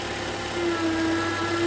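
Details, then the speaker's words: 2011 Toyota Camry, engine idling: thin constant alternator whine returns when the alternator connector is reconnected and is quiet when unplugged, confirming the alternator needs replacement. "you can hear it again. Remove the grip, it's quiet. Connect it, you hear it. So that confirms the alternator needs replacement."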